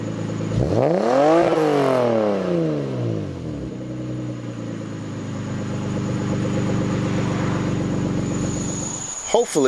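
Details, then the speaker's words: Lexus SC300 after fitting a Toyota Supra TT mid pipe with new gaskets to cure a leaking exhaust: a rev rises and falls, then an even smooth drone without rasp or rattle; louder and cleaner, normal exhaust note. "it's actually a noticeable difference it sounds a little louder and a lot cleaner"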